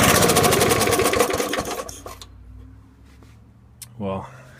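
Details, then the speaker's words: Curbside Snapper small engine, long unused: catches and chatters for a couple of seconds then dies; carburetor diaphragm suspected shot, throttle cable not connected. "I'll wager that that diaphragm in there is shot so it'll need a new diaphragm in order for it to run right but hey it did start so"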